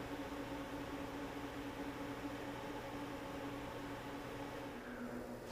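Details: Magnum inverter in an off-grid solar system at initial startup, charging the batteries from generator AC. The cooling fan ramps up as charge current reaches 80–90 amps: steady low hum with a smooth airy rush, no rattle or scrape. Fan running normally.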